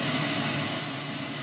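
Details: Noisy HMV Stereomaster 2328 amplifier (about 1970–72): a constant rushing hiss across the whole range with a faint steady hum. One channel is noisier than the other. The owner plans to replace the transistors, but the cause is unconfirmed.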